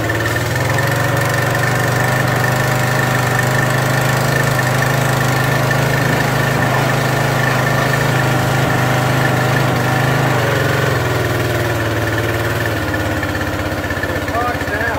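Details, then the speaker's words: Craftsman 2700 PSI pressure washer with Briggs & Stratton 275cc OHV during a spray test: a busy idle that sags without settling. The owner guesses the idle-down isn't controlling the idle properly. "i think part of it is the idle downs not working it does seem to do something it's not bringing the control over the idle when something's not right with it"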